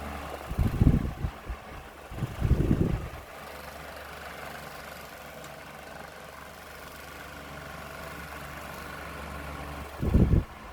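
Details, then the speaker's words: 2006-07 Lasko 16" wall fan model 3016 on high with oscillation fixed; steady low droning hum with loud rattling bursts from out-of-balance flimsy blade shaking the unit and loose front grill; fan blade imbalance vibration. "had to fix the oscillation though and it elates fine but you can hear the amount of noise it's making it's is intensely"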